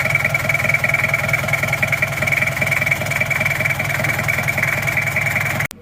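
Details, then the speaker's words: Toyota Kijang LGX diesel after valve clearance adjustment (one shim replaced): steady idle with even light clatter, earlier bok-bok knocking gone, smooth and even; normal idle. "sudah tidak bunyi suaranya sudah halus rata"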